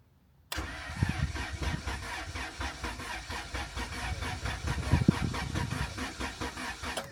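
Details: Track car with freshly swapped replacement engine after the old one blew, first start on a jump pack: starter cranks with an even chug about four beats a second for six seconds but never catches; later found return fuel and grounds unconnected.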